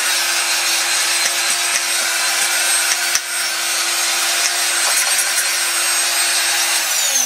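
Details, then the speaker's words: Ryobi TR-31 laminating router bought used, which sparked once at first plug-in and now dims the lights: steady drone under a harsh gritty hiss that never smooths out; worn motor bearing. "it's dimming the lights i don't know there is something wrong i guess on this"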